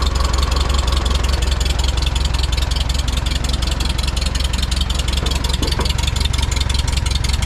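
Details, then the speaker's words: 1946 Farmall tractor, first run after replacing a clogged fuel filter and bleeding an air lock: steady low thump with a slightly uneven beat, not firing cleanly; ignition timing needs adjusting, carburetor needs rebuild. "And over here I gotta get the timing adjusted correctly. It's not quite firing perfect. I can hear it."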